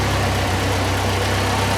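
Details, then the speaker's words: 1981 Alfa Romeo Spider Veloce after storage, fuel and ignition work and new exhaust, cold garage: even, steady idle, smooth exhaust, slightly high near 1000 rpm; timing a bit advanced, to be lowered a couple hundred rpm. "running much better it's still hiding a little bit too high just about a thousand rpm right now i want to bring that down a couple of hundred rpm"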